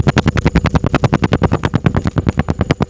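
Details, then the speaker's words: 2014 Ford F-150 5.0L Coyote with codes P0300, P0301 and P0304, bank 1 misfires persisting after new spark plugs. Heard at the tailpipe: deep, uneven pop-pop puffs with the engine shaking, a misfire. "That's a misfire. So as you've seen on the camera, you can see where it is misfiring right now. It's kind of shaking."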